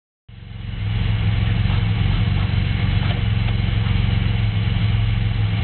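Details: Pontiac Grand Prix engine at idle: deep, dull knock about three to four times a second, attributed to a spun bearing.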